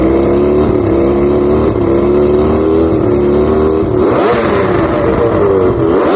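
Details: Outboard with three carbs, just after replacing the fouled number 5 spark plug, still idles unevenly with a wavering tone that sags and recovers; fuel vapor seen coming back out of the carbs points to perhaps faulty reed valves.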